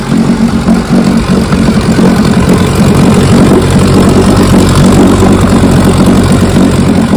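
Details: 1957 Johnson 15 HP outboard first run in 60+ years after magneto, carburetor and lower unit rebuild: strong steady buzzing run at an even pace with no stumbles, knocks or rattles; healthy two-stroke.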